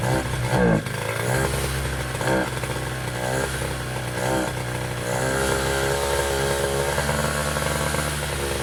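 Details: Piaggio Zip SP race scooter two-stroke on first start after restoration: buzzy engine revs up and settles into a steady, even run with no knocks or rattles; healthy.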